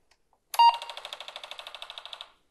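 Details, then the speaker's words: Apple IIc floppy drive booting an Oregon Trail disk, with composite output to a Teknika MJ-22 monitor: a short beep, then about fifteen quick, even clacks over two seconds as the drive seeks. Normal disk boot. "let's just go ahead and fire up the disc i've got oregon trail here"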